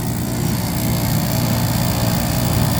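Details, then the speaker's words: Furnace inducer motor at a new customer's no-heat call: loud, steady motor hum with a rough, gritty edge running under it; the inducer is starting to grind. "got us a no heat call for a new customer we are about to go check out and douche has got a little bit of a grind to it"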